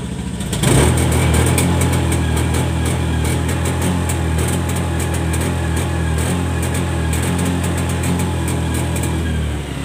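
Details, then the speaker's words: Honda Scoopy eSP scooter (2017-2018 on), speed limited to about 60-70: held at full throttle from start, the engine sounds rough and uneven, stumbling without climbing; fixed by throttle body service, throttle sensor repositioning and FI reset. "Kalau dia motor mau dihidupkan langsung ditancap gas full itu dia mbet mbet terus dia itu tidak bisa naik lari sampai 100 seperti motor pada umumnya ya."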